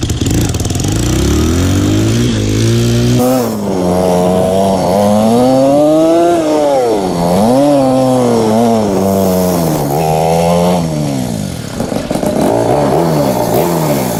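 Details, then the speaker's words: Single-cylinder motorcycle after exhaust repair, old exhaust gasket removed for better seal, choke lowered: steady thump climbing and falling cleanly with throttle blips, no ticking or puffing from pipe; leak fixed, running healthy. "She's not leaking anymore. Sounds pretty good. Let me take the choke down one. Alright, she's doing good, boys."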